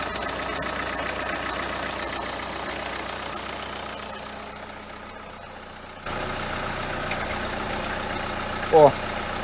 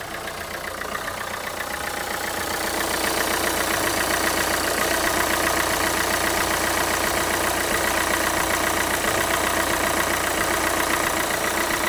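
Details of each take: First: Renault Kangoo 2 1.5 dCi diesel at idle: a dry metallic rattle with odd chirps, loudest at the alternator. The overrunning pulley clutch no longer freewheels and has very large play, so it is worn and needs replacing. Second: Renault Kangoo 2 1.5 dCi diesel at warm idle after replacing the alternator overrunning clutch pulley, alternator bearings fine: even clatter with no jerks, clicks or metallic bearing-like tapping. Normal idle.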